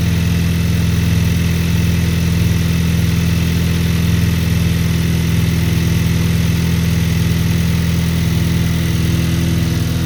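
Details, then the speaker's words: Cold start of a 2023 VW DLB engine, rebuilt at 23k km, after an oil and filter change, with the air conditioning switched off. Even, steady low idle hum with a smooth, unchanging beat and no knocks or misses; healthy cold start idle. "let's start it to hear it I'm waiting Mr Derek whenever you're ready fire up please it's a cold start"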